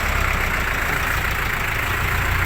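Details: Isuzu 4BC2 diesel at a low, constant idle: a steady, even clatter with no misses or knocks. It runs healthy now that a bad battery, not the starter, was identified as the cause of the clicking no-start.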